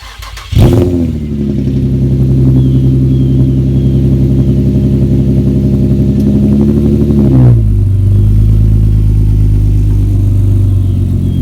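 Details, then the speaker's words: Nissan G project car at first cold start after replacing the coil packs fixed its running issue; it catches on the first crank, flares, then settles into a steady even fast idle with no misfire or knock. Normal cold start. "car seems to be running fine i'm gonna get a little sound clip at the very end of car cranking up from cold start"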